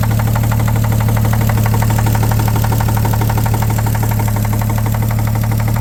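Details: 1950 Chevrolet 3800 one-ton with Chevy 235 six, abandoned since 1977, idling with steady deep knock about three per second locked to the idle beat; full 60% oil additive did not remove it: worn rod bearing knock.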